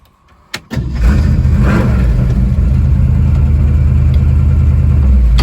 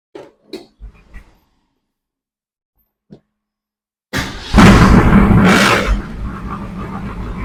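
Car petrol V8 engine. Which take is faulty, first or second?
second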